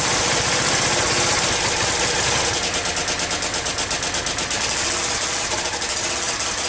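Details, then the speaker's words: Yamaha Virago XV535 V-twin with replacement carbs, rear cylinder not firing properly and the front exhaust pipe blowing. Uneven, lumpy low-rev beat with sharp exhaust popping and intermittent misses; the owner suspects a failing coil or an air leak, though no intake leaks were found. "ether put everything back together on it and it's still having the same problem with the the rear cylinder not firing properly"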